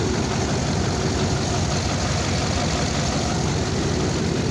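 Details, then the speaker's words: Chevy diesel pickup, first start after months with dead batteries: heavy idle with uneven, lumpy, stumbling beat; owner suspects a blown head gasket pressurising the cooling system and running on probably seven cylinders. "You can hear it running. It's not running right."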